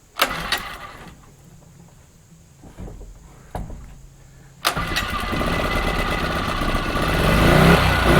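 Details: New Champion generator started for the first time on half a tank with the fuel line open and the choke on; a few pulls catch, then a steady, even running note with no knocking or misfire; runs great.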